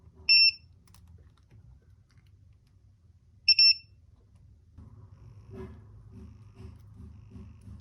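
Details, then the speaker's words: A 5-volt buzzer on an Arduino replaces the LED with the resistor bypassed and no code change. It gives two short, sharp high-pitched beeps about three seconds apart over a quiet background, working correctly. "So this is a 5-volt buzzer, so I am just bypassing the resistance, so no need to change any code or anything. So you can see it is working directly with 5 volts, just replacing it with the buzzer, the LED."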